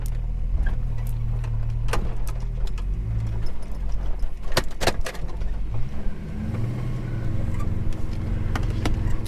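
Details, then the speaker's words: Holden HK on a road drive after timing was set, deep throaty engine pulling cleanly as it revs up and eases off over road noise, no stumble or hesitation; lack of power gone, running strong. "She's definitely running good. Oh, she has the meatiest sound. This thing sounds so good."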